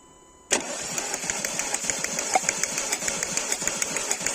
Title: 1.4 TSI, Volkswagen, Seat, Audi misfire, rough idle, engine light flashing / rateuri, mers neregulat